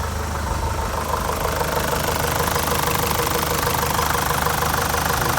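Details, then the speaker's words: ZD30 Patrol diesel idling right after an oil change with fresh oil and an oil catch can fitted: even diesel clatter with a smooth, unchanging rhythm and no knock or misfire. Oil light went out straight away; normal idle. "Have a listen to what this new oil sounds like in there. Because I've been playing with stuff, it might turn a little longer. Not too bad."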